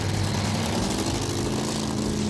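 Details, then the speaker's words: '86 Thunderbird 302 V8 with 6-71 Roots blower, tuned for altitude, cold start around 20°F: loud, rough, lumpy, stumbling idle; the engine is already missing and runs terrible. "it's already missing yeah it's this F"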